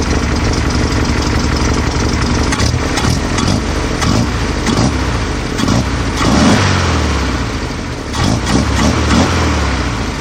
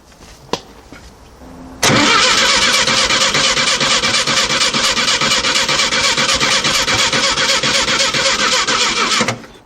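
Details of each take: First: 1968 VW Type-3 Fastback, air-cooled, dual carburetors with new CB Performance hex bar linkage and throttle cable just adjusted: fairly steady idle with even firing, no knocks or misses; normal idle. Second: 1968 VW Type-3 Fastback, air-cooled, after dual carburetor and CB Performance hex bar linkage installation, weak battery: starter cranks steadily about seven seconds with no firing or sputter, slowing at the end; crank no start, owner plans to charge battery.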